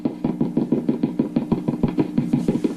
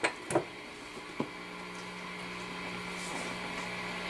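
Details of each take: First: Epiphone Valve Junior-based tube amp head with Billy Gibbons mods, after low-output fault fixed: rhythmic hum-laden thumps about three per second through the amp as the shielded input cable is handled; cable is microphonic, signal persists even at zero volume. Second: Epiphone Valve Jr tube amp with Billy Gibbons mods, during repair, turned all the way up: a couple of handling taps, then only steady soft hiss and faint hum, no ringing; microphonics gone because signal now shunted to ground.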